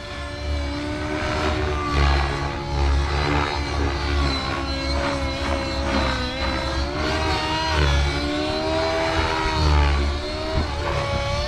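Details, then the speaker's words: Nitro RC helicopter, OS 55 glow engine with power boost pipe, OS #8 plug, 30% heli fuel, near stock needle settings, at high head speed mid stick: steady scream sagging and wavering, heavy smoke; rich mid-range mixture causing bog. "so that mid stick you hear the helicopter bogging down a little bit and we got a lot of smoke"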